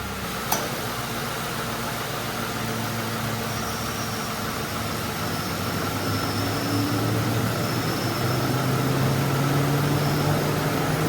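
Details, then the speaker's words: Mercury Grand Marquis after replacing the idler pulley, tensioner and serpentine belt: smooth, steady idle with the AC on and no squeal or chirp; before the repair the tensioner bounced with the AC on. "No squeaks. Before, when I'd have the car run and I'd turn on the AC, you would watch that tensioner literally bounce like this."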